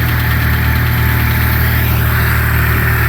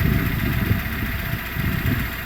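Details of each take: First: 2008 Renault Logan 1 at cold idle: dry rustling chatter, unclear whether knock or rustle, over low engine hum, absent at start, appearing about 1:25 after starting and audible in the cabin; source undetermined, owner unsure if normal. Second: 2008 Renault Logan 1 warmed up at idle, 5:40 after cold start: even steady low idle with the earlier rustling chatter practically gone, smooth engine.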